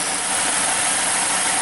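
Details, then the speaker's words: 2006 Saturn Ion 2.4 Ecotec, codes P0300, P0171, P0507, P1174, rough erratic idle: loud steady airy hiss at intake, short-term fuel trim about 23; spray test confirms vacuum leak. "right now it's holding about 23 so we're going to go along and spray this intake I'm pretty sure I can hear it leaking"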